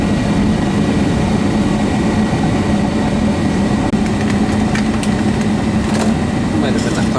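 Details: Natural gas furnace, possibly propane, on a service call; blower fan runs with a steady even whoosh and low hum, no rattles or scraping; normal blower operation.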